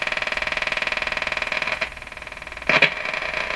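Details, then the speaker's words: Emerson 34C tombstone tube radio (c.1935) on first power-up, probably shortwave band: harsh buzzing crackle pulsing about three times a second with static bursts; interference, source unknown, while trying to ground the antenna to the chassis. "I'm going to try grounding the antenna onto the chassis of the radi here see if that doesn't settle down the noise"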